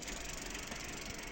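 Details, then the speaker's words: Bicycle rear wheel freewheel ("disquette") after its grease was cleaned out: a quick, even run of light ticks as it freewheels; pawls engage cleanly, showing the freewheel bearing was saved and is healthy. "ce bruit ça veut dire que vous pouvez vous avez sauvé votre roulement de disquette parce qu'on appelle ça une disquette"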